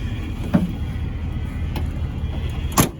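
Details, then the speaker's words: 1979 Ford F250 4x4, 351M V8, 4-speed, dual exhaust: deep, steady idle rumble with even exhaust beat and a couple of light clicks; runs well despite needing an accelerator pump. "You know, really, for needing an accelerator pump, that's pretty good."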